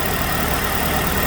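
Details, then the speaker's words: 2006 Chevrolet Malibu 2.2 Ecotec four-cylinder with a used ignition control module temporarily fitted in place of the failed one: even, steady idle with smooth low rumble, no misses, running on all four cylinders. Normal idle. "i'm going to start it up now and see if we've got ignition waveforms on both circuits it's definitely running on four cylinders now"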